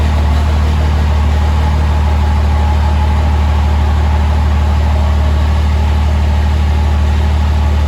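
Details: 2005 Cummins diesel build, first start after rebuild: steady, even diesel clatter at idle with a deep constant drone, no knocks or misses; healthy idle, good fuel pressure, check engine light (owner suspects MAP sensor).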